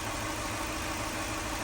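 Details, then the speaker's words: 2004 Lexus GX470 V8 at its first start after full reassembly, with no coolant yet: a steady, even idle around 700 rpm with no stumble or misfire; normal idle. "she's idling really good doesn't sound like she's misfiring there's no coolant in it so I won't know unless I put coolant in it"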